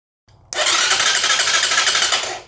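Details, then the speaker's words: 2020 Chinese Apollo 250cc dirt bike, no start: clutch and brake in, neutral; fast, even whirring crank about two seconds, never catches; turns over when starter solenoid jumped but not with switch; owner suspects solenoid; later traced to key-switch wiring. "So is the starter button not working? Clutch, brake is in. It's in neutral. So why is it not kicking over?"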